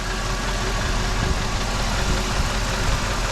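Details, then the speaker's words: Jeep WJ warm idle after off-camera work including new valve stem seals and gaskets; smoke from burning-off oil on block, power steering fluid low. Steady low rumble, no clear knocking; running acceptably, doesn't sound horrible. "But yeah, it's kind of running. It really doesn't sound horrible."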